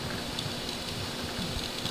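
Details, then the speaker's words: Presto Precise digital electric pressure canner, canning meat, regulator set to can: steady soft hiss with faint bubbling as steam vents before the vent lock pops up and seals; normal. "if you can hear it or not if you can hear that boiling inside and you can hear the steam coming out"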